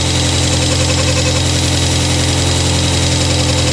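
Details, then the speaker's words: 1997 Rover 200 vi petrol engine just after head gasket replacement, some correct bolts still missing: smooth steady idle with an even low hum, no knocking or misfire; engine running cleanly. "other than that hey all right we've got a running 200vi this is properly exciting"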